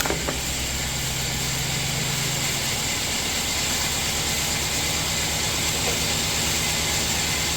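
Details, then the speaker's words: 2005 LS V8 with 140,000 miles in a donor truck, jump-boosted cold start in 30s weather: a steady, even idle with a strong fan-like hiss and no knocks or misses. The engine runs and sounds healthy. "Alright, so not only does that battery method work, my LS motor runs cold start. It's really cold today, well, 30s. Sounds great."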